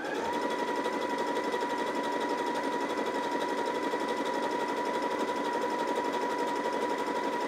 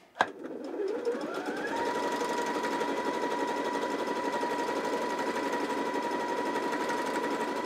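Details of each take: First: New Janome JW8100 sewing machine after re-threading and clearing a leftover thread strand on the bobbin: even, rapid stitching chatter about three stitches a second with steady motor hum; runs smoothly, earlier problem was operator error. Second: New out-of-box Janome JW8100 sewing machine zigzag stitching at maximum 7 mm width, 1 mm length with zigzag foot: steady whir with uneven pulsing clatter in waves; loose thread strand fouling the bobbin area, owner checking threading.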